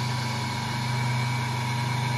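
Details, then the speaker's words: 1.7 kW three-phase induction motor, star-connected, running as a generator to start a 0.37 kW 2860 rpm motor without capacitors, giving three-phase 220 V; steady even low hum, no knocks or surges; normal running. "То есть, в принципе, вот всё работает. Получается трёхфазное напряжение 220"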